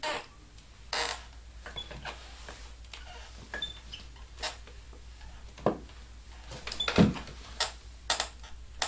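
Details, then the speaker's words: Assembled-at-home IKEA wooden chair: irregular creaks and sharp cracks as someone sits and shifts weight, a creaking that began a few days after assembly. "como podéis ver según te sientas eh emite diferentes sonidos crujidos y demás"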